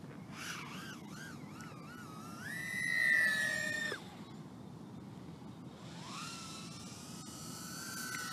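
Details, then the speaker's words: Aurora RC Mini Fight 110mm 2.5-inch brushless micro FPV racing quad on a 3S battery, flown line of sight: high motor whine that wobbles and swoops in pitch while maneuvering, with an uneven flutter noise in flight; cause not identified. "decent flyer but I still got flutter noise coming out I can hear it"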